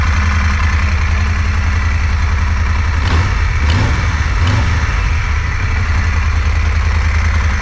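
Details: 2016 Moto Guzzi Griso 1200SE V-twin after ECU remap, warming toward 60 °C before throttle body balancing: even, deep idle with a steady loping beat and one brief blip; not running lumpily, smooth and healthy.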